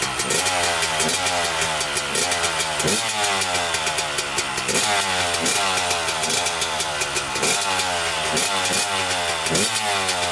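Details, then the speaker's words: 1998 Honda CR250 two-stroke, first start this year after sitting, choke on, fresh premix, kickstarted: crisp ringing revs rising and falling cleanly with throttle blips, no stumble or bogging; owner says it idles and needs fine-tuning; normal two-stroke idle. "And this bike idles too, so we should get it fine-tuned and it should idle."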